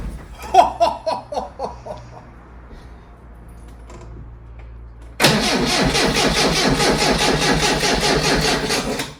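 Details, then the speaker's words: Lotus Elite laid up ten years in a barn: rhythmic cranking, pause, then brief rough running on easy start spray only; fuel starvation, fuel pump probably seized, to be removed and freed on the bench. "As you've heard there, with a little bit of easy start, it was a goer. But it was just running off the fumes of that."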